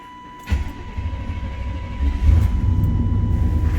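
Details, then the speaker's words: 1993 Chevy C1500 5.7L (VIN K) with check-engine code 54, fuel pump relay or circuit fault: with the oil pressure switch hooked up, the engine fires right up and settles into a steady, even low rumble with no misfire; normal running. "fires right up with the oil pressure switch of course"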